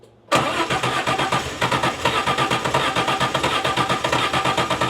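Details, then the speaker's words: Turbocharged DeLorean first start, after swapping in a Jaguar fuel pump because the old pump gave about 42 psi (spec 40–60): steady cranking with even compression pulses, but it never catches. "We know it's trying to start, but then as soon as the injector starts opening, the pressure drops off."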